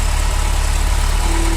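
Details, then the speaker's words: Ferrari V8 idling after misfire fix with new sensors: steady, even low rumble, back to normal after sensors for cylinders 5-8 and 1-4, which made it misfire when unplugged, were reconnected. "when i pull them both off it still runs weird isn't it and then we're back to normal again"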